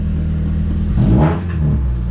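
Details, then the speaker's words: Station wagon with single-cam engine, blown up after hard driving: deep rough rumble revving up and falling back, harsh and uneven, like rocks in a blender; severe internal grinding and knocking, exact cause not confirmed. "You ever wondered what putting rocks into a blender would sound like? Well, this is pretty much exactly that."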